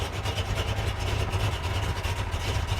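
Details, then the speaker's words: 1957 Chevy V8 cold start, fan and pump on, cranked for oil pressure before ignition: fires at once into low, even burble with steady pulses and no misses; smooth normal idle. "See right there, oil pressure, boom, hit the switch and she fires just like that. And idles."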